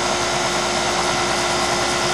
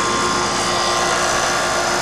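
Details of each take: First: York fixed-orifice heat pump dangerously low on refrigerant, very low low-side pressure: steady hissing rush with thin constant tone over compressor hum during charging; compressor tone changes as charge added; low refrigerant charge. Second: York fixed-orifice heat pump after being recharged from dangerously low refrigerant (3 lb 6 oz added): a steady, even fan rush with a smooth compressor hum and no rattles or surging. The unit now runs properly.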